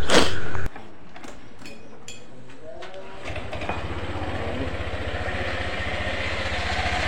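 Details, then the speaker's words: Honda PCX after CVT service, clutch lining sanded and cleaned, clutch bell reassembled: scooter fires up into an even steady idle with smooth low pulse, no drive rattle or knock. Normal idle. "Oke Alhamdulillah sudah selesai ya perakitan ini Kita tes dulu untuk motornya rekan-rekan"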